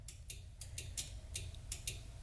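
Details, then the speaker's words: Twin-turbo 5.3 New Edge Mustang, testing newly wired fuel pump relays: sharp, irregular clicks, about eight in 2.5 seconds, over a steady low pump hum; both relays switching and both pumps running normally. "and both pumps work so they're both relays I can hear clicking"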